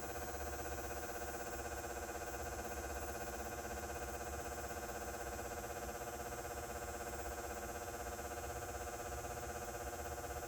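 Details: Outdoor house-mounted light fixture over 20 years old with a Brinks 175 W H39 high-pressure sodium bulb: steady buzz, louder than usual, with a new fast even ticking about four a second, like an engine running.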